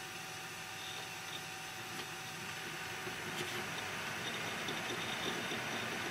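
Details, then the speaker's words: Quiet desktop PC, i5, Arctic Cooling Freezer i30, foam-lined Cooler Master case, fan controller switched to highest setting: steady, even rush of air, about 10 dB louder than lowest; fans running cleanly at full speed. "now yeah there is a 10 decibel something difference between the lowest and the highest setting of my pbm control device"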